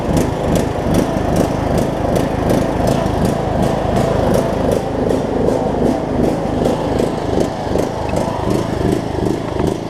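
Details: John Deere LA105 riding mower engine, unrun about three years, cold (about 40°F) after tank cleanout and carb cleaning, loud drone swelling and dipping about 2.5 times a second; surging, owner suspects leftover gunk in the fuel tank.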